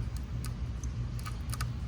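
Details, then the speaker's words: Harbor Freight 1000 gph pump wired directly to a 100 W solar panel without battery: sharp irregular clicks, about four a second, over low hum, with sparking; motor tries to turn but never starts, likely drawing too much current. "and when I hook that up and you can actually heat it out sparking and I can hear it clicking in a pump"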